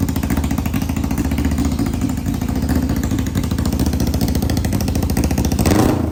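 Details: 1991 Kawasaki Ninja 500 twin with new gaskets and clutches, in a custom mini bike, first start after carburetor rejetting, fed from a drip fuel supply: extremely loud, steady, even-firing run with no misses or knocks, slight blip near the end; engine healthy.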